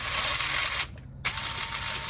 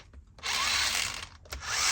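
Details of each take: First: Element Enduro SE RC crawler with Radiolink Cool 9030 brushed ESC and 15-tooth pinion: clean, even high whine in roughly one-second bursts in reverse, no grinding or skipping; normal gear mesh. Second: Element Enduro SE crawler with Radiolink Cool 9030 brushed ESC and 15-tooth pinion on a short-shaft motor, no grease; harsh high gear whine with gritty rasp in short throttle bursts from dry pinion-to-spur mesh.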